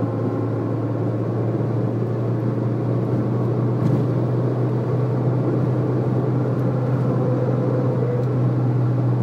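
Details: Citroën Saxo: steady low drone and faint hum from the front at a certain highway speed under throttle. Solved by replacing the worn left-side drive shaft.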